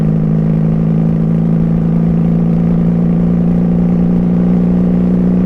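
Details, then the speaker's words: 1994 Honda Magna 750 VF750C, baffles removed and needing re-jetting, cruising: steady low drone stays flat without pulling when the throttle is opened; power is missing. "i feel like something's off when i'm cranking the throttle it's not there"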